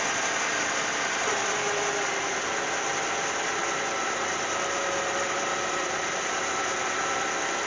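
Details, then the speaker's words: Cadillac CTS 3.6 L just after spark plug change for cylinder 1 misfire: hissy engine roar with slightly uneven wavering note when first started; owner suspects oil on the plugs and low fuel pressure, then runs smoothly. "she ran a little crappy at first I think that's probably due to the fact that oil can be spraying down the spark plugs I believe that's what made it run like that at first plus maybe there wasn't enough fuel pressure yet"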